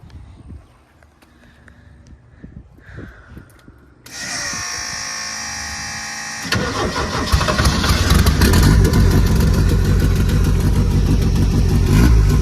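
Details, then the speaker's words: Turbo Mazda RX-7 rotary, first start after a self-done rewire: starter cranks briefly, then catches into a loud, lumpy, uneven idle that sounds like a tractor; rough running on base tune. "but we got it and I mean y'all just heard it sounds like a tractor but we got it"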